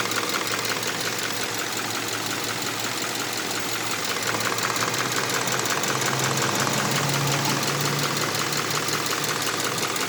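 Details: Subaru Impreza FB20 engine at idle: sharp, even ticking about three a second, heard around each side of the engine. Cause unknown; owner wonders if valve adjustment is needed.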